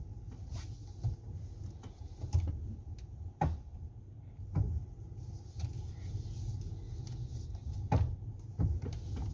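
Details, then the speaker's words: Hyundai Santa Fe steering at full lock both right and left; low steady hum with sharp single click each time, knock suspected inside steering box below, unconfirmed. "Toda vez que estece o volante pro final de um jogo, tanto para a direita quanto para a esquerda, ele tá fazendo um barulho, né, um estalo."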